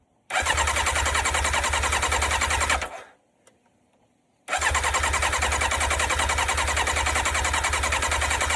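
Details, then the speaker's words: Yamaha sports bike, auction find not yet running, fuel knob broken off: two long bursts of fast, even starter whirring with a pause, never catching; cranks but won't start, no fuel suspected. "Did you GUYS HEAR THAT? SHE FIRED FOR A SPLIT SECOND."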